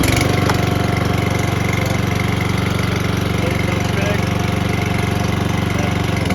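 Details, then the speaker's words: Lawn mower that previously would not run, after air filter check and carburetor cleaning/tuning: steady, even single-cylinder putter with regular beat, no misses or surging; mower now runs cleanly and healthy. "as you guys can tell she works it's also a little bit too late at night for me to do this"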